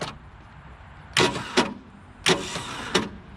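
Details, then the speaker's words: 1966 Ford Galaxie 4-door from a junkyard, first start attempt with loosely connected battery terminals: starter clunks harshly in pairs but seized engine won't turn over, then moves slightly and comes unstuck. "Oh, starter's making noises, but our engine's not turning over. Oh, the thing's moving a little bit."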